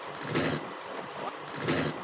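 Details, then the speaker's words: Electric bike/scooter hub motor: two dull clunks about a second apart, wheel jerks but doesn't spin after the plug was pulled and reinserted, with wheel and controller box fine. Fix: disconnect everything including battery terminals, add a fuse, reconnect to reset. "แล้วพอใส่เข้าไปใหม่เหมือนเดิมที่เดิมแต่ทำไมหรอไม่ทำงานรอดังกึ๊กๆก็คือสาเหตุนี้ล่ะค่ะให้เรารีเซ็ตใหม่นะคะ"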